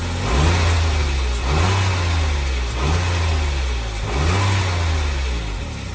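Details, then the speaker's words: 2003 Smart Fortwo three-cylinder just after replacing the spark plugs and HT leads: the engine revs up and settles in repeated smooth blips with no stumble or miss; now firing on all 3 cylinders and sounding much better. "Well, I am extremely happy. It's now running on 3 cylinders. It sounds so much better."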